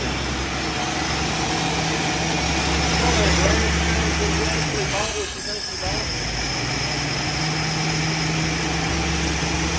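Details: 1971 Ford Maverick with a rebuilt 200 cu in (3.3L) inline six and automatic, stored since 1996, running on a temporary fuel jug with choke: steady, even hum with a faint tick. Runs on its own after long storage.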